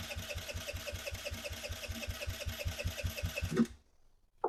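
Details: 2007 Kawasaki KFX50 four-stroke 50cc quad, after draining the fuel and refilling, even starter cranking about five turns a second never catches; no-start, with the flywheel found not properly connected at top dead center.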